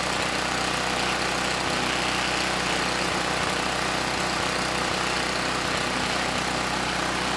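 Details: Campbell Hausfeld GN503100AC 5000 W generator, 9 hp Briggs Vanguard, started on choke: steady drone with slightly lumpy, uneven beat; engine sounds good but clone carburetor runs it way too rich.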